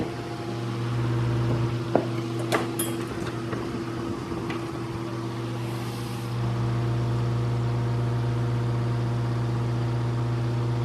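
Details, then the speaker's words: Abandoned 1950s Hunter CG-16 industrial fan, weathered, first run after sitting outside at an antique store: even, steady motor hum with low drone, a few early handling knocks, then smooth running with no rubbing or grinding; normal running. "well it's not crazy it's really not crazy you used to hear that sound all the time there those things running"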